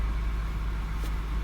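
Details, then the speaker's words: 1999 Honda Odyssey with a flashing green key symbol no-start, fixed by leaving the battery disconnected overnight: it now starts and idles with a steady, smooth low rumble and no knocks or misses. "see the green light come on goes out just like that and what do you know no flashing light van starts"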